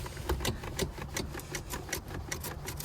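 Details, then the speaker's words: 1970 Ford Mustang Mach 1 at inspection, worked from the steering wheel: light dry clicks about every 0.4 seconds over a faint idle; steering column loose with much play, steering box worn or not properly connected. "steering column somewhat loose let's see so much play and you can hear you can hear the steering box not connected"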